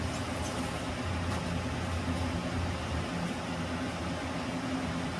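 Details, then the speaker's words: ILG Model 123 XQ explosion-proof fan motor after rebuild with new bearings, spring washer and varnished winding: steady quiet low hum, no bearing noise or grinding, centrifugal switch faintly audible; normal running. "no more bearing noise you probably faintly hear the centrifugal switch"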